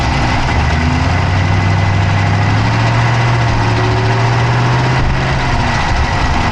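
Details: Dodge Charger Hemi V8 at steady idle, recorded inside the engine bay on the passenger side with an Insta360 Go3: quick, light ticking rides on top of the low rumble; a fast tick at idle, cause not yet pinned down.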